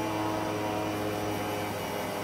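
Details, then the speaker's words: AC recharge, steady even hum with constant tones and no knocks or rattles as refrigerant is drawn in and circulates properly while compressor picks up charge; normal flow. "And you can hear the gas getting around the system properly."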